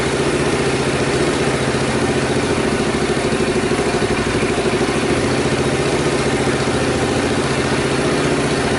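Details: Honda Super Cub reassembled from stored parts, engine started after earlier cam-chain tensioner work, with strange noises heard at a previous start: quick, even putter at steady idle with no ticking or chain rattle; running normally.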